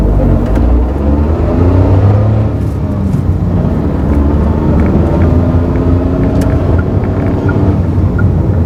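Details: Mazda AZ-Wagon MJ23S while driving gives a steady driveline drone with a faint hum under road noise. It is an abnormal transmission noise with the cause unknown.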